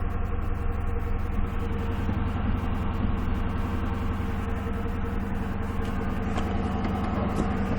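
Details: Ford Crown Victoria making a steady, rough, low grinding drone before the engine starts, cause not identified.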